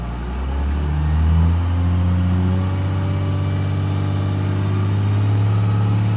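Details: 1997 Dodge Ram 3500, 5.9 12-valve Cummins, about 42°F, after lift/transfer pump replacement for hard starting: steady, smooth diesel clatter rising with a rev to about 2500 rpm at no load, then settling. Fuel pressure normal; repair successful.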